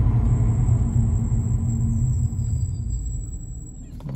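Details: Brakes with new Ferodo DS2500 pads on ATE standard discs, during light braking while bedding in: a thin, steady high-pitched squeal over road rumble that stops as the car halts; normal pad squeal.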